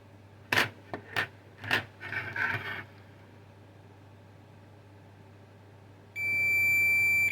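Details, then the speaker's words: Onkyo SR576 HDMI board: probe clicks, then a solid unbroken continuity tone, a dead short on the 3.3 V rail. The regulator output feeds the DSP and SRAM; the short also reads at the DSP and capacitors. "the output of this 3.3 volt regulator goes to the to this DSP here and also it Powers this SRAM here this memory and this capacitors here is also called connected to this and the DSP if we check here there's also some short here"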